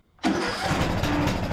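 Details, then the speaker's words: Nearly 20-year-old Craftsman LT2000 riding mower with new carburetor, choke on, temporary air filter: cranks briefly, catches at once, runs steady and even with no misses; normal start, idle may need adjusting. "can hear it now it's running running great may have to adjust the idle a little bit"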